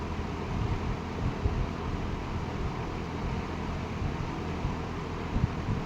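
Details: Late-1960s Eskimo 3-speed all-metal box fan on 120 V, medium speed drawing 1.8 A: quiet, smooth, steady whoosh with no rattles, scraping or bearing growl; running healthy.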